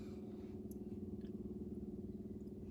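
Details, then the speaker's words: Corvair with battery isolator disconnected: electric fuel pump switched on to fill the carburetors and check for leaks; low, steady buzzing hum with even pulse, no stutter. Normal electric fuel pump running strong, no leaks found. "And since that is my fuel pump, now I can turn this and the fuel pump comes on, and I can actually check all of the carburetors and the connections, and I can actually hear the carburetors filling and make sure I don't have any leaks."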